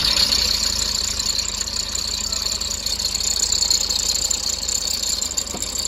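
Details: Toyota HiAce diesel at idle: a steady high-pitched whine and hiss over a quiet idle, traced to worn alternator brushes and a dry idler pulley bearing; the alternator is removed for the fix.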